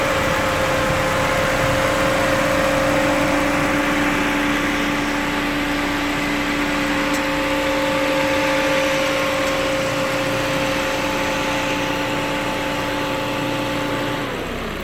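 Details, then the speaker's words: Ford Focus Zetec after radiator replacement, idling about 20 minutes with fans and AC compressor running: steady even hum, no misses, knocks or rattles; normal idle. "at this point the car has been idling for about 20 minutes."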